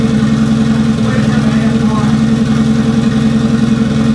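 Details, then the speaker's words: Toyota 1JZ straight-six in a Datsun 280Z after tune and O2 sensor modifications: steady, even engine note with a firm low hum, no misses or knocks; running smoothly, quite a bit better than first start. "I've done a few more modifications to the motor with the tune and the O2 sensor, so it actually runs quite a bit better now."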